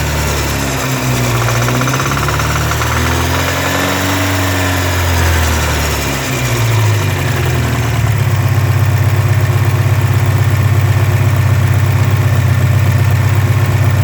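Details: 1984 Porsche 944 2.5L SOHC inline four, supposedly recently rebuilt: deep regular knock that rises with revs, loudest at 2000-3000 rpm, absent for the first minutes after a cold start, sounding below the cam tower; lifter tick or rod knock suspected, not confirmed.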